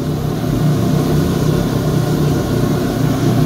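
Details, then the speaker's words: Rheem Prestige condensing tankless combo boiler, first firing on domestic hot water at a 120° setpoint. Burner lit, exhaust fan motor and pump on; an even low hum with a soft roar holds steady. Normal firing. "fan motors exhaust fan motor has kicked on so it says we're doing domestic hot water 120 degrees it says the burner is on communication status is normal this says the pump is on"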